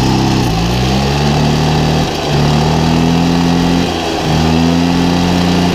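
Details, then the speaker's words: 1972 Motoconfort/Motobécane 50VL moped, first start after service: small two-stroke buzzes evenly, rising and dipping smoothly with each throttle blip, no knocks or misses; runs well. "pas ça ronronne les amis en tout cas ça c'est bon"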